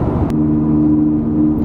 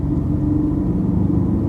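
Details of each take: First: Ford Falcon XR6 after wheel bearing hub replacement, cruising 60–100 km/h: steady hum from noisy directional tyres and steel exhaust, no whirring or growl; normal wheel bearing. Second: Ford Falcon XR6 driving at 40 to 60 km/h, interior view; mild steady hum under road rumble, tolerable at 40 and a clear whirring at 60, not tyre noise, worn wheel bearing hub before replacement.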